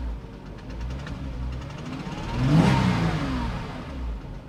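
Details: Porsche Cayman S bought with a known engine issue: light throttle blip brings a dull tapping rising with revs under the exhaust note, heavy smoking follows; consistent with cylinder bore scoring.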